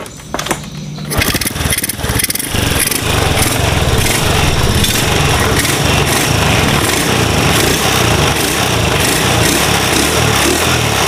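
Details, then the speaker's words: Supra bored to 53 with RVN Pro camshaft and Teamlar racing timing chain, carburetor not yet touched: clean, smooth revving with no piston or cam chain noise, just carburetor intake sound; normal. "ya semuanya normal ya kalau pengin tak sepilkan gas-gasannya kayak gini"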